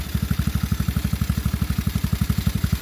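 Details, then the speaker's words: TaoTao GK110 go-kart, 4-cycle single, restarted after new carburetor and air filter base fitted, checking idle adjustment: even unbroken thumping about four beats a second, no stumbling or hunting; idles cleanly. "So I'm going to fire it up. Make sure that the idle is adjusted properly."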